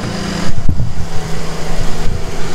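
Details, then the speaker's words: Roughly 30-year-old Mercedes-Benz W124 just started and warming up, hood closed: deep, heavy rumble at steady idle, far louder than a healthy stock exhaust; source of the exhaust leak unclear. "you can hear that's how loud the exhaust is"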